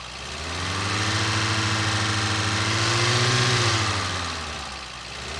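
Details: 1953 Sunbeam Alpine Mk 1, restored, microphone in the engine bay: steady, even idle with a smooth low beat, no knocks, ticks or exhaust puffing. Normal healthy idle.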